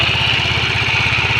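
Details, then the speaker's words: Yamaha Mio Soulty scooter idling, lacking power at full throttle despite new rollers, sliders, bendix and belt: steady high metallic ringing over a fast beat, located at the cylinder head, a worn camshaft bearing. "So ano sa naririnig niyo sa akin kasi parang nandito sa cyinder head sa tansa ko parang nasa cylinder head yung umiingay."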